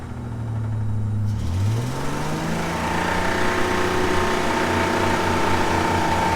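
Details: Old Ford engine deliberately filled with sand and water: as it revs, a rough, uneven knock under the rising note and it tries to die; internal damage from ingested sand and water.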